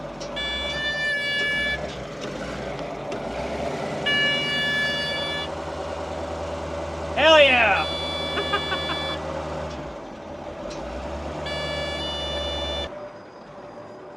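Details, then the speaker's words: CAT 613C scraper diesel just started after a new fuel pump and filters, running on its own but only revving to 1,000 rpm. Oil pressure is up. High-pitched beeps in bursts over a rough idle: air pressure still low and building. "Uh-oh. Why is it beeping? We got oil pressure. It's running by itself."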